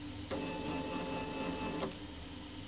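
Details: Solsylva 13x13 DIY CNC, router off, axes tuned to run quieter, fast axis jog: steady, even stepper whine for about a second and a half, then a clean stop; healthy motion.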